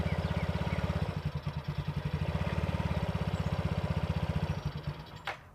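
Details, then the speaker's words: A Yamaha Vino 50cc scooter running its original, very dirty air filter putters at an uneven beat, grows weaker and ragged, then dies near five seconds: stalling from a clogged air filter. "he dies just from that air filter"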